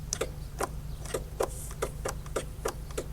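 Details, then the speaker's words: 2004 Polaris Sportsman 600 Twin ATV, parked for a long time: sharp, dry clicks about twice a second with no cranking; starter engages but won't turn over, bad starter. "oh boy sounds like the starter's a little rough click click you hear it come on I guess we better address that starter"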